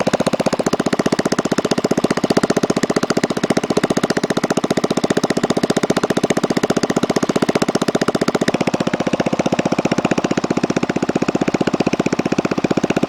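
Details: DR RapidFire PRO-XL log splitter, just back from the shop, engine at steady idle: loud raw sharp exhaust crackle on every firing pulse, far harsher than normal; the muffler failed and broke off within 30 minutes of use.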